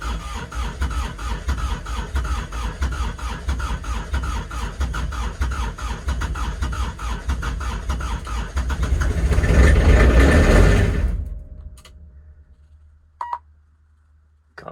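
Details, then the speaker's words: Kubota RTV900 diesel at -8°F with summer fuel: labouring cranking chugs about three per second for eleven seconds, then silence, no firing. Last tries before stopping to save the battery. Owner blames summer fuel. Won't start. "inspiring that was a lot more cranking than i like to do though nope that's it not gonna go and we're done"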